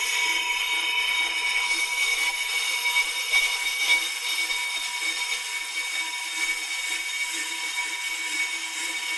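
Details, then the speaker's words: PRO-CUT on-car brake lathe running after auto-stop adjusted; steady even high whir with faint thin tone, no knocking or chatter, normal operation. "going to run in towards the hub now and establish our depth of cut I'm going to go a little bit into that rusty area towards the center of the hub just so I can be sure I've cleared enough surface area"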